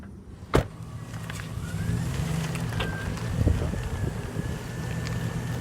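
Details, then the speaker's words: Driving with sharp pops over steady cabin road rumble, the suspension popping the driver reported, more distinct over bumps. "Okay, well there you heard it as we were driving. There was that popping noise, which is what the driver had mentioned. And what wasn't shown on the video is as I went over some bumps on parts of the road, it got even more distinct."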